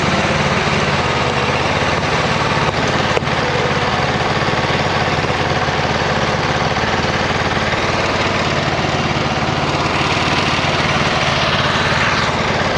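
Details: 26 HP Kohler V-twin on a lawn tractor mowing deep, tall grass. Under load it runs loping and uneven, missing firing strokes, on one cylinder. Exhaust is rich, black and smells of unburned gas after an intermittent misfire of nearly two years. Suspected ignition coil.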